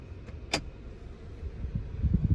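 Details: 6-day-old 2022 Toyota Tundra, right after being put in drive with the doors locked: a click, then a rapid run of low muffled clunks repeating about every tenth of a second; door lock actuator cycling nonstop, cause unknown.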